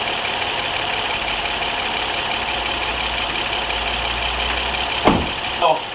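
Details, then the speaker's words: 2010 Honda Accord 3.5 V6, after a plug and coil pack tune-up cured a misfire; steady smooth idle hum without stumble or shake, a couple of brief bumps near the end; P0171/P0174 lean codes remain with a temporarily patched intake boot. "So it seems to be idling cool. Did like a basic tune-up."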